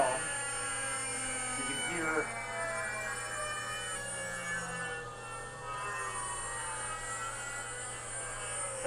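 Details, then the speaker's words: DIY CNC router, tone-tracing wand near the frame as the spindle (said to run at 24,000) spins down: several thin electronic whistles slide downward over a steady hum; spindle EMI induced into stepper control wires, making the axes move on their own. "i guess the actual speed of the spindle is 24 000 hertz which is probably what that pitch is 24 000 and the great thing is it's all parts of the frame here are producing this interference"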